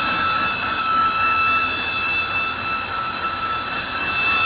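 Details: 2013 BMW 328i E93 with N52 engine at idle: steady, loud, belt-like high squeal with a fainter overtone and a slightly low, fluctuating idle; it stops when the oil filler cap is removed; caused by a damaged CCV diaphragm, fixed by replacing the valve cover.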